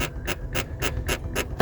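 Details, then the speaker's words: London black cab, driver's seat: sharp rhythmic squeak about four times a second as the seat is rocked or sat in, metal rubbing on metal from a broken spot weld in the seat frame. "when you touch the seat see it's got that spring in the back of the seat there and then someone's sitting in it you can hear a noise"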